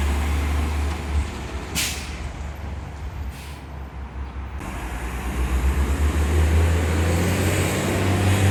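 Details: Refuse truck 2817 doing a recycling route: air brakes hiss twice, then the diesel accelerates with quick raspy puffing that grows louder under throttle from an exhaust leak.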